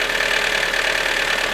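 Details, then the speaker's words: Mazda Miata owned by a beginner, rattle appearing after startup despite an attempted fix, owner suspected a solenoid and fears a serious engine issue; busy metallic chatter over idle with a thin steady whine, top-end rattle from low oil. "I was starting to become more certain that I might have a serious engine issue"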